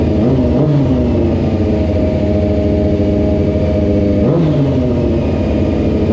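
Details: Bike's small single started after throttle cables tightened, idle adjuster screw set, airbox refitted and fresh oil: revs up smoothly twice and settles back, pulling cleanly with no knocks or rattles; normal running.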